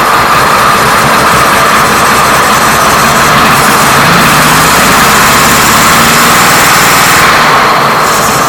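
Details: 1937 Plymouth Coupe six-cylinder, getting it running after filling the fuel bowl and checking firing order for suspected mistiming: fast idle with steady, even exhaust beat and no obvious miss; sounds like firing on all cylinders.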